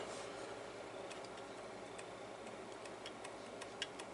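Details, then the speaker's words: Old, worn hard drive opened up: a light, dry ticking rattle several times a second over a faint hum from slack in the head assembly; not fixable, though the drive still works. "there's definitely something rattling here oh that's just the heads yep that's just the heads"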